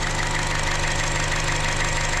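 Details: 2015 Chevy Cruze 1.4L after replacing the valve cover and intake manifold for a lean code: smooth, steady constant-pitch idle, no stumble or misses; long-term fuel trim zero, O2 sensor good.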